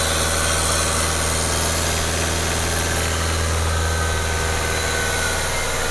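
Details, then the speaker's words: Nissan X-Trail T32 2.0 manual, engine revved to about 2,000 RPM and above; even, smooth drone with no rough noise from the compressor or growl from the alternator pulley; normal engine running. "Oke jadi dia 2.000 sampai dengan ke atas tidak ada tambahan kompresor juga tidak bunyi kasar Heeh puli alternatif juga tidak ngorok ya"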